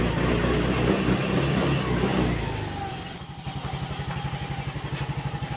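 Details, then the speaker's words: Yamaha Mio Gravis 125 after resetting the check-engine light via OBDII adapter and phone scanner app, engine running: revs cleanly then drops to a steady, even idle pulse about four per second; throttle response okay. "So ayan guys, naging okay na siya, no? So okay na rin yung response ng ating throttle."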